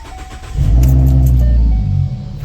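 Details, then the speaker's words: Ford with a crank-no-start problem, fuel pump driver module unplugged and the pump powered through two jumper wires: cranks, catches straight away, settles to a deep steady rumble; starts and runs normally. "car turns on and as you can see it's running based off those two jumper wires the module is not plugged in"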